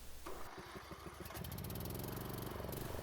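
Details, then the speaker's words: 2007 Troy-Bilt Pony riding mower, barn-stored for years, after carburetor cleaning: runs better but with a lumpy, uneven beat; owner suspects leftover carb debris, and a ride later cleared it. "hmm it's better but there's still something wrong i'm gonna go for a ride to see if maybe it's just a little debris that needs to be worked out of the carb"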